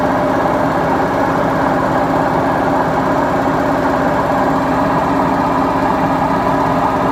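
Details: Beko washing machine, 7 years 8 months old, drum running; steady heavy grinding roar that never lets up from a worn drum bearing; machine to be replaced.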